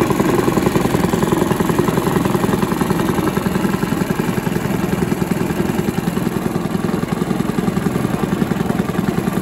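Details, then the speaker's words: Villiers 10 petrol engine on an old Barford cement mixer, no choke, rapid even single-cylinder chuffing at steady speed, no misses or surging; compression not excellent, fuel seems to run through even with tap off; normal running. "oh that's running that's good that's the stars you can hear that running maybe one of the easiest engines i've ever come across i wouldn't say the compression's excellent on it"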